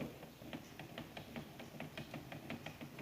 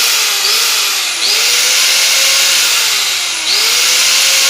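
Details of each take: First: Makita M9511 850 W angle grinder from a marble workshop, locking up: loud gear noise with rough rapid clicking about five a second; failed bearing at the armature's pinion end. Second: Makita M9511 850 W angle grinder from a marble shop, after bearing replacement and cleaning: clean, steady high whine at no load, pulsed twice, with no grinding, rattle or rough bearing noise.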